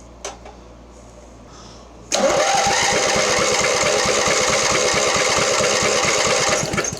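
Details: Mastercraft (MTD) 46" riding mower, 1990 Briggs twin, long unused, cranked testing second cylinder compression: even two-plus beats a second for four seconds; healthy, 115 psi versus 120 on the other side.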